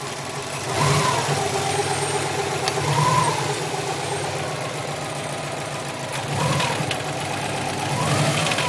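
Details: 2002 Subaru WRX, 176,000 miles, with a swapped-in EJ20 engine of about 70,000 miles, cat-back exhaust, cold air intake and aftermarket BOV, not yet tuned: a knock through idle and light revs. Owner suspects the turbo or a spun crank bearing.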